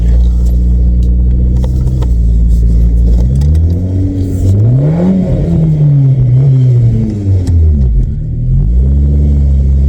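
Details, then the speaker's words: 1997 VW Vento (Jetta Mk3) automatic, test drive right after a fluid and filter service that found the filter fallen off inside the pan: revs climb and fall with no upshift; gearbox now stuck in first, no reverse. "No, now I don't even have second. No, I have none. Are you kidding me? I've only got first. I've only got first gear."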